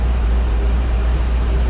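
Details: Car sat about 3 weeks in the garage, started right up after two pedal pumps and has idled about 15 minutes with the electric fan on. Steady, even low rumble with no misses, knocks or ticks; normal healthy idle.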